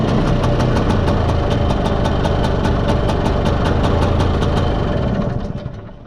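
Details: Spanish Jet 200 Lambretta (mostly original, Serveta) two-stroke after carb retuning, slide cutaway changed from 1.2 to 2.2 to clear mid-range flat spot; loud even beat, no misses, smooth rev drop, runs silky smooth.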